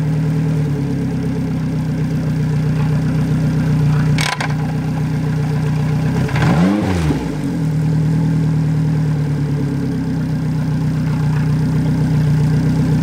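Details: Yamaha 90hp four-stroke outboard on an 18ft G3 boat, replacing a 60hp two-stroke, after the throttle linkage was adjusted to fix revs that stuck high in neutral. Smooth, steady low idle with an even beat and one brief dip midway; normal idle.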